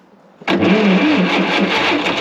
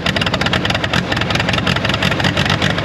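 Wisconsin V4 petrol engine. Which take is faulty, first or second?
first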